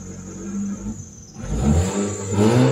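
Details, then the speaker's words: Mitsubishi Lancer Cedia automatic, before repair: starts with no check-engine light, RPM rises and falls, responds sharply when revved but won't hold idle and dies. Stalling attributed to a dirty throttle body, which is removed after scanning. "Ayan taas baba yung RPM yan patay so h pa natin ginalaw yan patay siya start O ayan"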